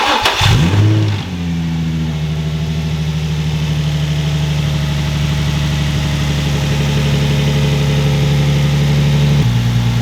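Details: 2004 Nissan 350Z with factory intake, before installing a cold air intake: starts, then settles into smooth even idle with steady low tone and brief rev blip; healthy.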